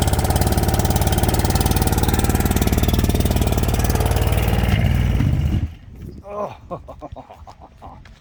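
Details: Late-1980s/early-1990s Glastron bass boat with a 90 hp Chrysler outboard, first start attempt after sitting: heavy uneven chugging at roughly 220 pulses a minute for five seconds, then cuts out; rough running, carburetor may need work.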